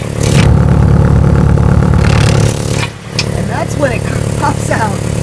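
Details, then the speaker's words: 1998 Toyota RAV4 at startup, heard from inside cabin window down: loud raspy exhaust with puffing ticks about four a second and rattle, leak at oxygen sensor flange with broken, rusted-off studs and no nuts. "this oxygen sensor is in place but you know it's still bit still got a leak since there's no nuts on it but I'll show you you can even hear the the Rattle and some of the extra noise from this position"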